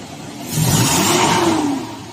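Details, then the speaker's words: Toyota Fortuner gasoline, with catalytic converter refitted after suspected clogging, previously low power, rattle, misfire and little exhaust flow: engine revs up cleanly and drops back with no rattle or stumble; power restored, quieter, normal revving. "Okay na. May power na rin. Tsaka, mas ano na siya, mas tahimik na. Then, wala na rin yung kalansing."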